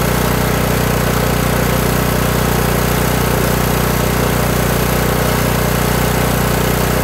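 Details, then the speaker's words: Kohler Courage 18 lawn tractor engine after turning the low idle adjustment screw (carburetor jet non-adjustable) until it sounded better; the governor linkage rod stopped rocking. Even, steady single-cylinder idle with no hunting or surging; surging stopped, though the fix is unproven long-term. "so all right so there we go i just continued to turn that screw out until the engine started sounding better"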